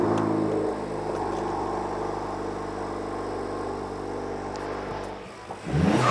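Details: Honda Civic Type R FL5 turbo petrol just after fitting a Turbosmart Kompact BOV: steady idle, then a sharp rev that rises and falls with a quick release at the end, showing healthy blow-off valve venting.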